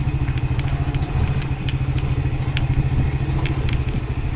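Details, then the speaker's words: Manual-gear motorcycle descending a hill in first gear under closed throttle: steady low engine beat at modest revs with road clatter on top; normal engine braking holding the revs back. "Ini kalau misalkan kita digigit satu digigit rendah dia tuh nahan guys ya kita simaksi gitu ya ada yang disebutnya itu tuh engine brake jadi kita tuh Emak si gigi satu tuh menahan putaran mesin EDC ya"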